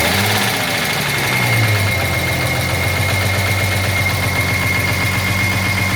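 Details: 1983 Jaguar XJS V12 at idle with a light, regular knock over a steady idle; owner assumes a dropped valve seat, not confirmed.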